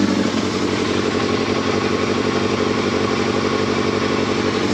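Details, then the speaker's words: Yamaha Thundercat motorcycle, reassembled after strip-down, first start on choke inside a polytunnel: smooth, even idle with a steady low beat, no knocks, ticks or misses; owner says it sounds sweet and lovely, no leaks. "That sounds sweet now. I can't even hear no engine noise on that. That sounds lovely."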